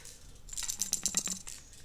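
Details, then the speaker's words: New replacement thermostat for a Mack truck whose old one stuck open, shaken by hand: short bursts of bright loose metallic rattling; something loose inside the new thermostat, judged defective. "um it came up about oh this one makes noise i'm have to check the other one that's no good"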